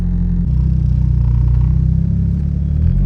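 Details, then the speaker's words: Test drive in a manual car after replacing the CV axle, which had been clicking and vibrating when letting off the clutch and pressing the gas: steady low drive rumble under light throttle with no clicks or funny noises; throwout bearing heard screaming. "hear no clicks no funny noises"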